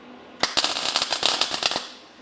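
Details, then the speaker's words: Short run of sharp, uneven pops and crackles with no steady sizzle from a Vulcan MIG Max 215 welder with a clean tip, gas seemingly present and a 3.5 setting, while welding a belt sander stand; the arc is unstable and the cause is not found. "Something weird's going on. Sounds like we have gas. We have D manual 3.5. What is going on, man?"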